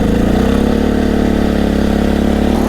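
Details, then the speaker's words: Generator just after a spark plug replacement, running with water hooked up: steady, even engine drone at constant pitch with no surging or stumbling. Normal running, already sounding better than before the new plug. "It's already sounding a little better. I can actually hear a difference."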